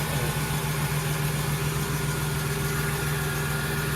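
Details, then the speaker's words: 2008 Chevrolet Express van V8 after engine swap, first start with no upper radiator hose: slightly lumpy, uneven beat under a steady idle drone; misfire from a bad NGK spark plug wire, found at cylinder number six. "so I got another bad spark plug wire I'm never using ngks again"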